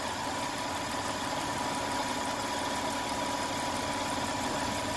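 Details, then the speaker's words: 1992 Lexus ES300 after ECU replacement, cap and rotor, throttle body cleaning, air and fuel filters, catalytic converter, Y-pipe and oil change: quiet, even idle with no stumble, shake or vibration; earlier misfire gone. "my point was the engine is really sounded good no shakes no vibrations"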